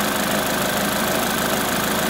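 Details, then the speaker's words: Crashed Corsa being rebuilt, idling after a fresh start while the coolant is bled: a steady, even idle with a smooth note and no knocks or misses. The engine runs sweetly. "As you can probably hear, the engine's running quite sweetly and nicely."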